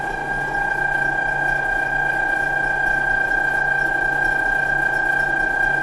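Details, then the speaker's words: Harbor Freight Central Machinery 14-inch woodworking band saw run before any adjustment, blade not yet tensioned: steady motor hum with constant high tone and even pulse; some vibration, blade moving around. "there is some vibration and same thing the blades moving around a little bit"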